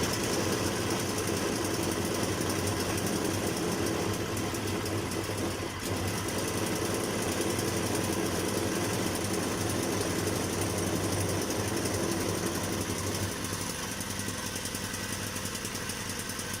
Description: Here I'm repairing a Hyundai portable generator which is making a sharp metallic sound from the inside.